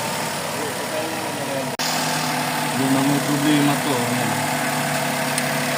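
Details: Suzuki Celerio with misfire complaint, after replacing cracked PCV valve and grommet and checking valve clearance: idle note wanders up and down instead of holding steady, air conditioning off; cause not yet found; fluctuating idle.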